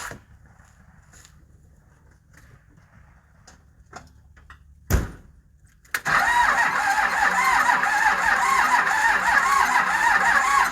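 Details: 12-valve diesel run on used motor oil, making about 500 wheel horsepower, blown after 25–30k miles; turbo failed, engine out of oil, metal present: it catches and runs with a hard, steady knock over the clatter, a rod suspected.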